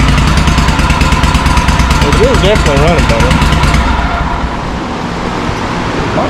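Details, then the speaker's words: John Deere M665 zero-turn mower after tightening a loose carburetor and replacing both exhaust manifold gaskets: loud, raspy drone with an uneven pulse and high-pitch note; owner suspects a rotted-out muffler baffle or a hole in the muffler. "Basically, what I think is the baffle in one side of the muffler has rotted out and is gone. That's why it still has that kind of high-pitch noise. Sounds like the gasket's bad, but the gaskets are good and they're on there tight."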